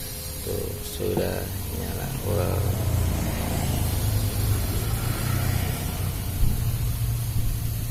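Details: Electric fan motor (dynamo) after its bushing was replaced; a smooth, even low hum with no rattle, scrape or wobble as the fan spins up and runs. The repaired motor sounds normal.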